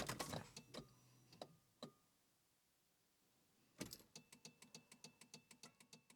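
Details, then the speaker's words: Volvo 945 barn find, unused since 2017, before first start in 7 years: after a pause, a steady chain of short even horn honks about three per second; the alarm horn sounds during disarming after the door is opened with the key. "open the door with the key alarm with activate and the horn will go off wait until it's done honking about 30 seconds"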